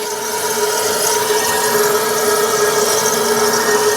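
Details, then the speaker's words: Refrigerator just after gas charging, sound at the evaporator while the temperature falls from 34.7 toward 26 °C: a steady, even hiss with a faint constant tone over the compressor hum, showing normal refrigerant flow and a good charge. "अगर इस प्रकार की आवाज आने लगे तो समझिए fridge हमारी बिल्कुल अच्छी प्रकार से कूलिंग कर रही है, मतलब गैस चार्जिंग इसमें बहुत ही परफेक्ट हुआ है।"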